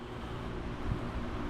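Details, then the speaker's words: 1949 GE Vortalex 16-inch fan, unused over a year, cold-started, now at speed on high: smooth, even low rumble with steady airy rush, no knocks or rattles; fan motor running healthy. "I really love the way this motor sounds when it's actually firing up when it's warm freshly lubricated"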